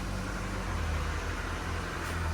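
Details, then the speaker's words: 2002 Mitsubishi Lancer LS, 246,999 miles, just started after sitting about four years: smooth, steady low idle with no knocking or weird noises, only a faint belt grind in the background; sounds healthy, oil change and tune-up planned. "just listen to how smooth that sounds no weird noises she's got a little belt grind but for the most part it sounds healthy no knocking of any sorts"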